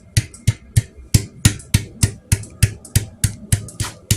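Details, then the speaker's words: Royal Enfield Classic 500 EFI fuel tank refitted with tightly wrapped mounting rubbers after a tank rattle fix: firm hand knocks about three a second give clean thuds with no loose rattle or movement. "it was a tight fit to put on there's absolutely no movement anymore and rocking it backwards and forwards this it's solid so I think that will work now"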